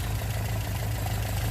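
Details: Engine after carburettor rebuild with improvised weighted accelerator pump check ball, flood cleared, hot, testing for dripping at shutdown: steady, even low rumble at idle with no misses or stumbles; running clean.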